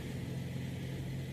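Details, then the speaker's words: 2013 Dodge Avenger after oil pan replacement and refill, cold start: starts fine and idles steadily at about 1200 rpm with no knocks or misses, only slight condensation. "Let's fire it up and do a cold start. Starts up fine."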